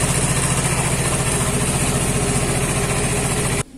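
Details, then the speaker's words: Vespa Matic scooter after repair of a sudden no-start, horn and headlight tested working with the engine running: steady, even putter at idle with no misses or hunting until switched off; everything normal. "alhamdulillah wah ini udah berhasil Oke Semua normal seperti biasa"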